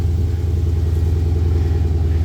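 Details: Chrysler 300 SRT8 Hemi V8 idling with a deep, even rumble and steady beat, ticking now gone after repair; no ticking or knocking on top.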